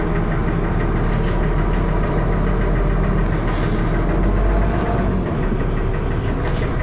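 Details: Dennis Arrow diesel bus at low speed: heavy drone with a coarse, uneven loud knocking and harsh thrash running through it; engine knocking, cause unknown.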